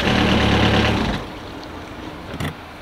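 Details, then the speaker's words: Universal M25 inboard diesel in a Catalina 30 sailboat, starting after a faulty starter solenoid was replaced. Even diesel clatter at a steady idle, running smoothly. Normal idle. "while we're two for two now both our dingy outboard engine and our sailboat invert engine are running smoothly man that feels so good i'm so stoked that the engine's going"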